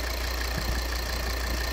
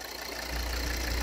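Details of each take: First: 2013 Volvo XC60 2.4D (D5244T10) diesel after repair of the vacuum valve with a ruptured membrane, which had caused knocking and turbo vacuum flap pulsation: steady, even idle with a smooth low rumble, no pulsing or knocking. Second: 2013 Volvo XC60 2.4D diesel (D5244T10) at idle, complaint of noise near cylinder head: dull uneven low throb swelling after half a second; burst membrane in vacuum pump check valve makes vacuum pulse the turbo boost-control actuator flap.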